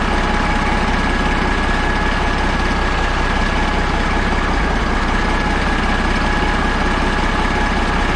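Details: Caterpillar 3406A diesel, run from buckets of fuel before installation in a truck: deep, even idle with a steady rumble and no knocks or misses; sounds healthy.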